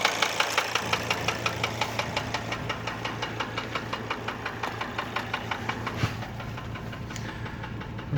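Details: Mercedes W210 2.7 CDI diesel at idle: sharp, evenly spaced knocks around four to five a second over the diesel idle; persists after replacing hydraulic lifters and injectors; engine temperature normal, source unknown.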